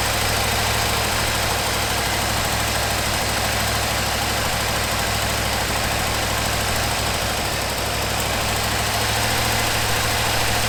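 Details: 1974 Ford F100 4x4, long parked, restarted after fuel pump wiring rigged up: even, steady idle with regular low rumble, no misfire or tapping; running smoothly.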